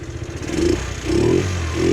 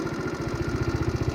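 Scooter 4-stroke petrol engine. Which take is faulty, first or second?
second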